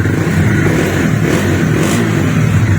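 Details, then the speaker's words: Bajaj Dominar 400 after a bearing replacement, low on petrol: the single-cylinder engine starts on the first self-start press and revs cleanly with a crisp exhaust beat and no clatter; the earlier engine problem is gone. Normal start. "तो आपने देखा एक ही sulph में start हो रही है तो इसमें जो इंजन थ्री हो रहा था इसके वो वाली प्रॉब्लम खत्म हो गई है"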